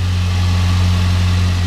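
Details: 2007 Ford Ranger four-cylinder at 160,000 miles, just after replacing the ignition coil pack and spark plug wires. It gives a deep, even idle with a steady low hum and no misses or stumbles: normal idle.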